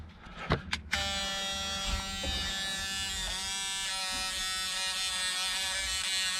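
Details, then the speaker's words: Ford Fiesta MK2 XR2 with hazards switched on: a couple of clicks then steady electric buzz from the faulty black hazard relay buzzing instead of clicking; indicators and horn also not working. "right so the relay for the hazards is obviously not working can hear it buzzing just need to find out which one it is"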